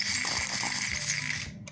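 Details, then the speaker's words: Playart HO 2-6-0 steam locomotive on the track: rapid, harsh ratcheting and grinding as it strains to move; owner suspects a cracked or loose drive gear. "does not sound good sounds like maybe one of the gears that could be cracked"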